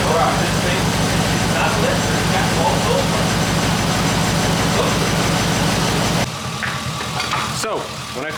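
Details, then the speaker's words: Chevrolet Tahoe V8 at idle: steady rhythmic knock about three per second with lifter noise, feared rod knock but suspected exhaust pipe pulled by headers hitting the frame; exhaust pipe knocking against frame. "I think on top of it the exhaust pipe the headers pulled the exhaust in s"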